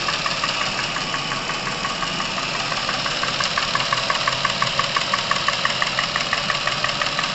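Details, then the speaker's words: Chevrolet Epica, over 200,000 km, sudden top-end noise, warmed to operating temperature as Dimexide is poured into fresh oil at 100 g per litre: light fast ticking about three per second over idle from hydraulic lifters and camshaft. "прошу обратить внимание на изменения в работе двигателя которые происходят мгновенно при попадании димексида в масло"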